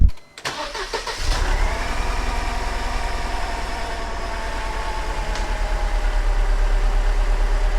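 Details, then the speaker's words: Four-cylinder engine that chugs, checked by unplugging injectors one at a time: uneven, lumpy idle; pulling cylinder three's injector makes no change, while cylinder two nearly stalls it. Misfire on cylinder three. "here's the one i unplug this there's no change at all the way the motor is running"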